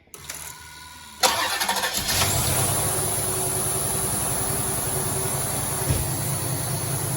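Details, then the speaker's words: 1990 Cadillac Allante, previously stuttering on start, after repair work: brief crank, catches cleanly and settles into a steady, even idle with no stumble or misfire; best it has run, though a vacuum leak is then found. "That sounds exponentially better. This is the best it's ever run since we've got it. It sounds awesome."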